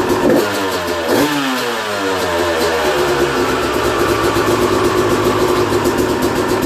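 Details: 2001 Yamaha YZ250 two-stroke, first start after new top end, jets and service (compression had tested 100 psi): crackles to life, rises through a few crisp revs and settles into an even, clean idle; runs healthy.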